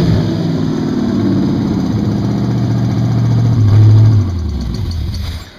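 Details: Evelyn's engine on its first idle with open Lakes headers, timing just set, driver's header not fully welded: a loud, deep, steady rumble with a short throttle blip before shutdown. It idles cleanly and evenly.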